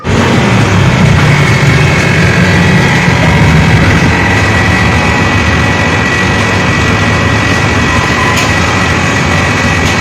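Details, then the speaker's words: Haier inverter split-type aircon outdoor unit, before the fix: loud, rough droning hum with heavy low vibration, steady for ten seconds; compressor is noisy because the copper tubing was shorter than the 3-meter minimum, causing short cycling. "Ang pagkakaiba po ng short cycle na copper tubing, kapag short cycle ho talaga, maingay ho talaga ang ating compressor,"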